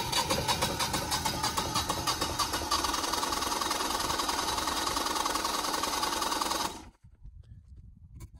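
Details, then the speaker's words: Brand-new Generac 24kW home standby generator on its first-ever manual start after an oil check. It cranks steadily for about seven seconds without catching, likely from air in the fuel lines (suspected), then throws an error code. "of course it's never run before so there's probably air in the lines it's probably going to take a little while"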